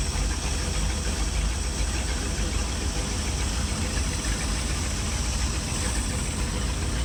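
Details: Mastercraft ski boat inboard engine started after 5 years in storage. The fuel system was cleaned, the oil and transmission fluid changed, the 600/650 vacuum-secondary carburetor serviced, and new plugs fitted. It gives a deep, steady, even idle with no knocks or misses.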